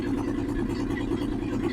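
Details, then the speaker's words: 1963 Ford F100 unibody short bed, Y-block V8, three-speed, first run after 20+ years off the road: quick regular light clunks in time with idle; exhaust pipe cut off on passenger side tapping the crossmember, engine otherwise quiet. "you can hear a CL the exhaust pop is cut off on this pasture side and it's tapping the cross member"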